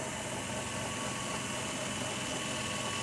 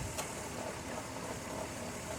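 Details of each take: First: 2002 minivan idling after refrigerant oil was added with an injector tool, a light, fast, uneven rattle from the A/C compressor over the idle; owner blames lack of oil; A/C compressor rattle at idle, cause suspected, not confirmed. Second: 2002 minivan restarted after adding refrigerant oil with dye to the A/C, which was suspected to be low on oil; steady idle with a smooth compressor hum and no knocking, grinding or squeal, so the compressor sounds normal.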